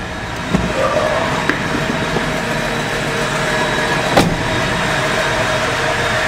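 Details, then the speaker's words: Carbureted (Weber) inline-six warmed to operating temperature after a drive: quiet, even idle around 800 rpm with steady oil pressure, no knocks or misses, a few outside clicks; healthy. "show you the vitals again oil pressure nice and steady idling away right at about 800 or"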